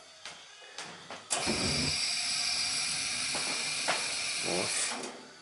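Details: Gas space heater after thermocouple replacement, relit from pilot: a few sharp igniter clicks, then a steady, even gas roar for several seconds before shutting off; the burner lights and runs normally, though the gas valve may still be faulty.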